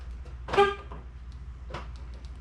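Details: 2012 Nissan Sentra after replacing the front and rear door lock actuators, which had been making a loud noise: a single short, clean horn toot on locking and no more actuator noise; a normal lock chirp.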